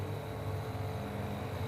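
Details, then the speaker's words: 18,000 BTU central air conditioner that blew air but gave no cooling, after its failed compressor run capacitor was replaced: an even low hum with a steady fan whoosh and no clicking or cutting out. The compressor now starts and runs normally. "ครับทำแล้วนะครับได้ยินเสียงคอเซอร์แล้วนะครับทำงานแล้วนะครับ"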